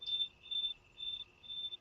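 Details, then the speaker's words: Non-contact (contactless) voltage tester held near a live electric circuit: a high, thin beep repeating about twice a second against near silence while its light flashes, showing it is detecting the live circuit normally. "When it gets near a live electric circuit, it will beep, and then you can probably hear this,"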